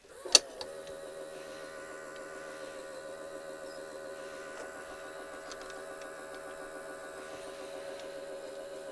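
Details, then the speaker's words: AIWA TP-724 vintage portable open-reel tape recorder on 12 V current-regulated bench supply, fast forward: steady high motor whir with rattly buzz throughout, louder than it should be; noisy motor. "quite a noisy motor let's try that again"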